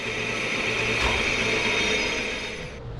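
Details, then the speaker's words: 1600 Crossflow engine flywheel spinning on the balancer with the crankshaft assembly: steady hum with a faint throb about four times a second, felt through the floor; flywheel far out of balance. "I can actually hear like hear how out of balance it is and I can feel it through the floor as"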